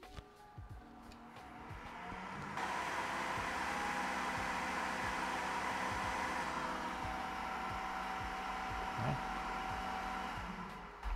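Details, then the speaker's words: Creality K1 3D printer side cooling fan at full speed with the baffle removed, measured about 7.5 m/s airflow: a steady airy whoosh with no wobble or rattle; normal fan running at full speed. "I'm going to test it to see what its full speed is without the baffle"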